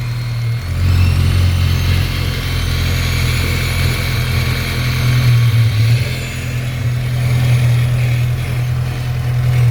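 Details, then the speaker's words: Rebuilt MK6 Golf-type engine in a Scirocco, first start after rebuild on 4 to 5 year old petrol: steady deep cold idle with even beat and a slight rise and dip in speed, no knocks or ticks; normal cold start. "Leave it. Let it move your hand. This cold starts like that."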